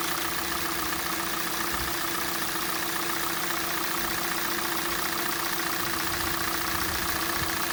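Sharp, fairly regular knocking at roughly 220 per minute over a cold idle; an internal engine knock whose source is still unknown.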